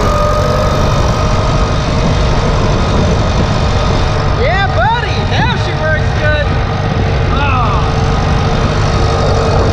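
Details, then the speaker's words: 1962 Farmall 140 tractor, after sitting about 10 years, now running after a spark plug wiring error (it had been firing the wrong cylinder) was corrected: deep, steady, even rumble with no misses, normal running. "not believe how much of a difference that made the engine sounds good"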